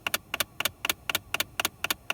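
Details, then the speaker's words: 2012 Dodge Journey blend door actuator behind the glove box, passenger-side interior, making rapid, even plastic double-clicks about four a second; noise ongoing for over six months before replacing the actuator. "welcome to how to replace a blend or actuator on a 2012 Dodge Journey is your interior passenger side making weird clicks like this"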